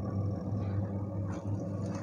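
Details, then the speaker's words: Arashi mini washing machine after three months of use, filled with water and detergent, running wash mode on a 13-minute timer: steady, low, even hum with no knocks or scraping; quieter than a typical jumbo washer and running smoothly. "untuk suara mesin cuci itu halus yang gak sekeras mesin cuci pada umumnya yang jumbo itu"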